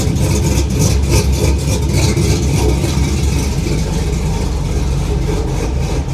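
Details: 1950 cabover, LS-swapped V8, first start after VATS anti-theft delete: deep idle with uneven loping chop about three beats a second from the cam, otherwise healthy; oil gauge maxed at 130.8 PSI, sensor suspected bad.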